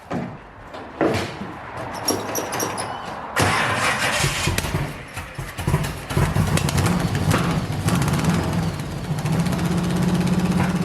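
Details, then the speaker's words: 1971 Chevy Nova pro street small-block V8 with 4-speed, bought non-running; first start after rewiring spark, runs uneven and lumpy with dropped pulses; misfire, firing order checked OK, timing suspected out. "all right so we know it runs uh here's what we got just based on that little bit of running it's definitely a misfire"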